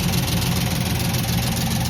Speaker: If you hear that rattle, sound like the proper arms really backed off. Turn it off. So, I believe that the skip, if you noticed how the engine was shaking, the skip is from rocker arms.